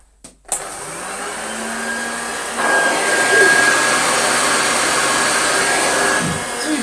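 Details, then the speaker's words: Hoover Junior 1354a Dirtsearcher upright vacuum, old machine arriving damaged, first switch-on: motor spins up to a steady high whine with a quick, fairly even rattle; very sloppy drive belt had ridden up onto the belt pulley. "the parchment was very much oh it makes a weird rattling sound but then very quickly stinks very quickly became not so beautiful"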